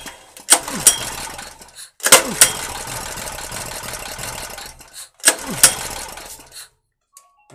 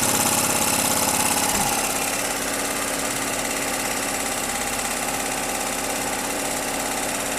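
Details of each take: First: 2.5 kW peak Ress petrol generator after long storage, with a new carburetor fitted: pull-start gives three short sputtering bursts that die within a second or two; no start because the governor rod and spring linkage was binding. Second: 2.5 kW Ress petrol generator after long storage, with the binding adjusting screw freed (suspected dirt from sitting): catches and settles into a steady even buzz about three beats a second with no misfires; normal running.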